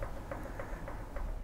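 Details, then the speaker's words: Harrison mill vertical head, close up after loosening the overtight bevel while adjusting spindle taper bearing preload: small light clicks about three per second from slight bevel clearance; normal backlash. "see if you can hear this this little click is the clearance on the bevel in here"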